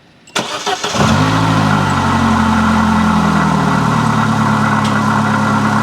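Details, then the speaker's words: Vauxhall Corsa with a suspected head gasket failure, started and idling: a faint grinding, wearing noise from low in the engine. The owner thinks it is the water pump running dry. "so hopefully you can hear that kind of grinding wearing noise coming from down here somewhere"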